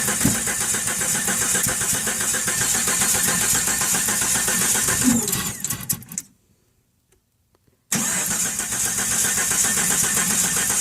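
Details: 1997 Jeep Cherokee XJ 4.0L I-6 cranks at an uneven three-to-four beats a second but never starts despite new ignition parts, CPS and battery, with spark and fuel pressure normal; low compression, cylinder 3 at 90 psi versus at least 150 psi on the others.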